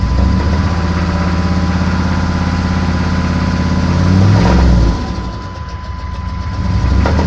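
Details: 6.5 diesel truck that started knocking on the way home from work: heavy regular knock about three times a second at idle until shutdown; owner suspects stuck injector or rod knock, unconfirmed.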